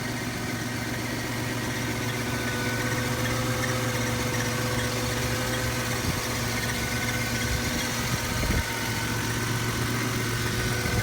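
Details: 1998 Toyota 4Runner Limited 4WD with 5VZ-FE petrol V6, idling with a thin, constant whine-like tone over the low hum. The weird noise started days ago and is masked at higher RPM but still present; cause unknown.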